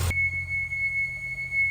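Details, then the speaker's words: Audi C7 S6/S7 idling: steady, ear-piercing whistle near 2 kHz over a low engine idle, from a failed PCV (positive crankcase ventilation) valve. "I don't know if you can hear that, but that whistling. That's the PCV whistle. So loud, guys. It's literally ear piercing."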